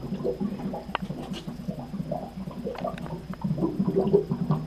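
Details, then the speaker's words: Water heater being drained for preventative maintenance, cold supply closed and pressure relief opened, milky water with calcium sediment: irregular bubbling and glugging as air enters the tank; normal gurgling. "You can hear it gurgling."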